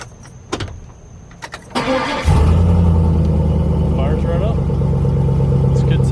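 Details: 2003 Chevy Silverado V8 just after an inline fuel filter replacement, with the fuel system primed by cycling the key about four times: a few clicks, then it catches quickly and settles into a steady, even low rumble with no stumble. Normal start and idle.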